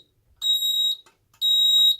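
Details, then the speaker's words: Ademco keypad in a 6139R test, carbon monoxide zone 04 activated: shrill evenly spaced half-second beeps in temporal-3 rhythm, as the keypad predates the temporal-4 CO standard; CO alarm sounding. "And you can hear it again doing the temporal 3 beeping because this keypad was designed before"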